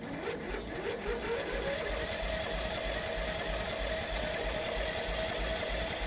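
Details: Mini NASCAR go-kart bought used, new spark plugs fitted, gas tank cleaned: steady starter churn about three turns a second with faint whine, never catches; later found flooded with water in the fuel.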